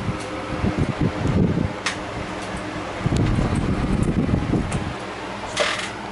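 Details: Emerson Casablanca Classic ceiling fan, motor-only unit with loaned blades and light kit, switch housing loose: low soft whoosh turning slowly on low in reverse, about 0.21 A, even, with handling and air noise; normal running.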